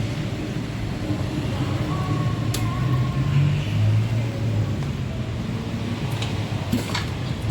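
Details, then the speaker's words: Yamaha Mio M3 scooter that was dead (very light kick-start, compression loss from dirty leaking valves) now starts after valve repair with compression restored; steady low single-cylinder putter at idle, no misses or stalling; engine normal. "teman-eman Oke Guys Ini motor sudah hidup untuk mesinnya sudah normal sudah hidup"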